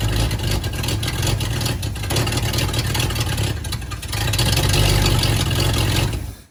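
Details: 1954 Buick Roadmaster, 322 nailhead V8, sat 10+ years, leaky carburettor: uneven cranking and sputtering that surges and fades without a steady idle. Hard starting; owner wonders if it is sucking fuel from the tank.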